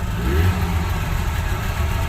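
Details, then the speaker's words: Subaru 360 two-stroke van, just mechanically restored after 11 years, on its first drive lugging low in second gear: quite a bit of exhaust smoke clears, no pinging, so timing seems about right; deep steady burble, runs healthy. "Second gear, we're going to lug it out. Oh, quite a bit of smoke. Cleared out the exhaust. Not pinging. Timing must be about right."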